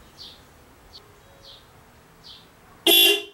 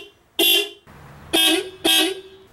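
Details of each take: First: 1991 Volkswagen Vanagon factory horn circuit, before adding a horn relay: two short dual-tone honks, a low note under a sharp high one, sounding thin; owner attributes it to the factory circuit; weak horn. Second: 1991 Volkswagen Vanagon horn before adding a horn relay: three short, clean blasts with bright, steady tone; not bad but not correct, believed underpowered through factory circuit.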